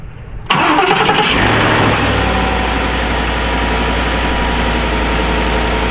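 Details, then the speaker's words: 2015 Ford F-150 5.0L V8 that only clicked, after starter replacement: starter whirs briefly, the engine catches at once and settles into a steady, even idle; starts normally. "I did not hear the fuel pump prime at all, but let's try it. Yep, she's good."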